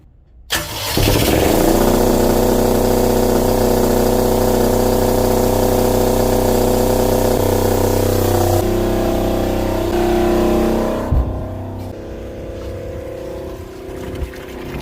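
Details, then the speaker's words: Marine diesel generator (Frankengenset) for the Tiara boat, fuel and coolant bled, makeshift muffler: cranks and catches, then steady even run with constant pitch, no knocks or hunting; normal running. "oh we're pumping good now let's load this thing up"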